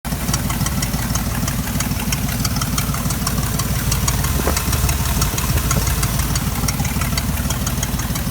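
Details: 1993 Chevy 4.3L V6 at idle with sharp, crisp ticking about twice per second over a steady idle; an exhaust leak is suspected but not confirmed.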